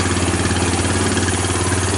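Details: 2000 Kawasaki Lakota ATV after the broken fuse holder behind intermittent stalling was taped up: a loud, even putter at steady idle with regular firing pulses and no stumbling. The engine is idling properly, though the owner notes it smokes and burns oil.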